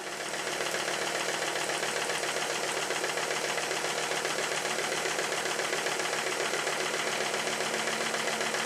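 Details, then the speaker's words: Stuart S50 steam engine run on compressed air after shortening its over-long slide valve; admission now at or just after top dead centre; brisk, even exhaust chuffs about 220 a minute, no heavy knock; normal running. "so I think the valve operation is a success the steam or compress air in this case has been admitted just on top dead center or maybe slightly after"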